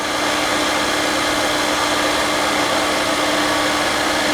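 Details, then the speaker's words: 1996 Mercedes S420 V8 with a known huge vacuum leak, air pump running. Steady fast rush with the air pump droning over it. Idle sits high, which is blamed on the air leak, then eventually comes down. High idle. "I think the idle speed maybe not no idle is still not coming down so because of the air Lea"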